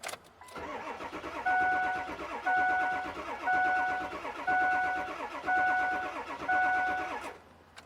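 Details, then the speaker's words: 2003 Ford F350 7.3-liter diesel with intermittent crank-no-start, sometimes after reaching operating temperature: steady starter cranking about one pulse a second with no firing; MAP sensor pressure reading stays flat while cranking, cause not yet found. "All right, we're cranking the engine. Our map PSI data PID is not moving."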